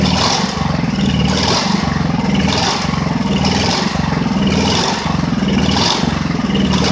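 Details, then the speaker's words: Ridgid generator, Honda GX390, restarted after repairs: speed surges about once a second in a steady rhythm. Owner says it shouldn't run like this and suspects a part came unscrewed. Engine hunting, cause unconfirmed. "parce que là le bruit qu'elle fait c'est pas très bon. Elle est pas supposé tourner comme ça mais au moins elle redémarre."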